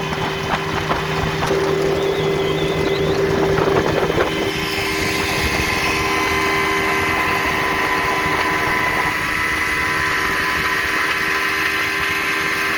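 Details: 1960 Scott-McCulloch 12hp outboard fitted with a 14.1hp McCulloch powerhead, bronze Michigan Wheel prop, 24:1 synthetic fuel, cruising on the lake: steady, even buzzing drone over wind and water noise, no misfires or knocking; normal running at speed.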